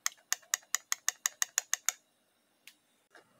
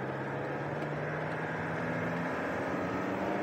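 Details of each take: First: Holden Cruze 6T40 automatic transmission solenoid (black type), removed and bench-tested at 10.5 volts while addressing slipping in 2nd and 6th gear; crisp, even clicks about five a second, then a few stray ones, snapping in and out cleanly: normal solenoid operation. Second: 2010 Holden Cruze 2.0 turbo diesel, 6T40 automatic, 246,000 on the clock, code pressure control solenoid valve 4 stuck off, pulling away in drive: revs climb without matching gain, then flare and resettle a gear higher. Slips in second and sixth.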